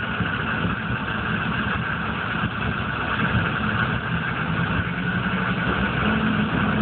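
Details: 1995 GMC K3500 6.5 turbo diesel, 78,000 miles: low idle clatter with a slightly uneven beat. It misses mostly under full load at driving speed, dies when the throttle is released and sometimes won't start. Owner suspects the PMD or injection pump; codes stored.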